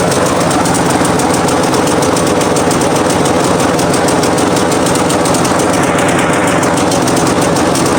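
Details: Craftsman T110 riding mower after sitting all winter with a flat battery (no click, no start), jump-started; small single-cylinder runs continuously with a slightly uneven chug and steady pitch; normal running.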